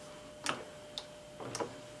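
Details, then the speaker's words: Rebuilt 1970s hydraulic floor jack pumping up normally after repair: crisp, light clicks about every half second with each handle stroke, no hiss or slipping. "See, now you just keep pumping it up. And when it gets to the top, you let it down. And then you fill it again. And you pump it up again. And you should be fine. But so far, this one looks like it's doing pretty good."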